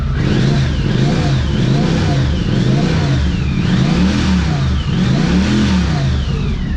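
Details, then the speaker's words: 1982 Honda CX500 Turbo running after 25 years, with new fuel pump and cleaned injectors: engine revs up and down with a rising and falling whistle on each blip as boost builds; normal turbo spool. "Yeah, baby, listen to that sucker. Check that out up there. Check that down. Ooh, watch his build boost up here."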